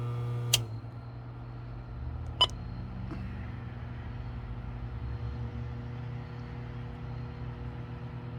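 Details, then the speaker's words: 2015 Frymaster FPEL314CA 208 V three-phase electric fryer after replacing the stuck heat contactor: steady low hum with crisp contactor clicks as the element cycles in, temperature rising; normal heating cycle, noise apparently fixed. "And I think the problem is solved, and the fryer is cycling. As you can see, the temperature is going up."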